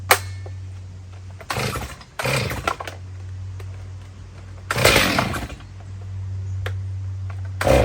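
Saw fires and settles to a steady idle, then snaps up cleanly on several short throttle blips; runs smoothly and healthy.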